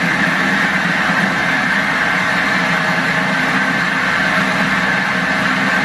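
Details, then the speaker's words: Lifted limo golf cart on jack stands after fitting a used replacement axle: loud steady grinding hum with a high whine over it, louder than the original axle noise; differential to be drained and inspected. "well that sounds louder than my original problem we need to drain the diff"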